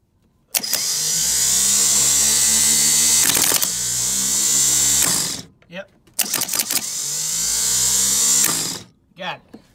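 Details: '65 Chevy C10 starter bench-tested off the truck after re-rebuilding it with the forks corrected: two bursts of high, even whirring that spool up and wind down smoothly, so the starter spins freely and sounds healthy.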